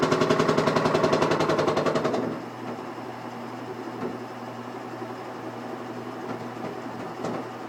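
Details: Washing machine making rapid, very regular banging about three or four times a second for two seconds, then a quieter spin; persists after replacing two vibration shocks, cause unknown.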